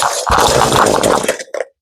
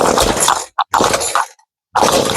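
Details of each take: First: Ryobi two-cycle string trimmer after carburetor replacement buzzes roughly, sags, coughs once and dies because it won't hold idle. Idle speed is set too low, and turning up the idle adjustment screw stops the stalling. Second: Ryobi two-stroke gas trimmer with replaced carburetor that used to die at idle, after adjusting the idle screw a few choppy bursts then a continuous wavering, hunting idle that no longer dies; rough but running.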